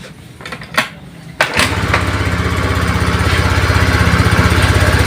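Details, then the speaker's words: Honda Beat injection scooter that was hard to start, had no power and wouldn't idle: after refitting an unplugged socket, it is kick-started because the battery is weak; a few kicks, then it catches and settles into an even, steady idle; ECU/TP sensor reset still advised. "ya teman-teman seperti ini motor ini sudah hidup kembaliasnya juga bagus stasionernya juga langs bagus"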